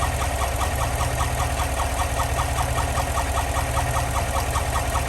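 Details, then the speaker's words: GM L86/L83 V8 with AFM/DOD (Yukon/Tahoe/Silverado type) at idle: sharp, steady ticking in time with engine speed from one collapsed lifter; the fault stayed on the same cylinder after pushrods were swapped, ruling out pushrods and rockers. "that is the sound of a bad lifter so you could feel this one was smooth and this one was rough"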